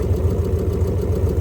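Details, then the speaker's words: 2001 Lexus IS300 with 1UZ V8 swap, first start after immobilizer reset: steady even low burble, no misses or knocks, idling on its own; not yet responding to throttle pedal. "so as you could just see in the video the the Lexus is uh running on its own"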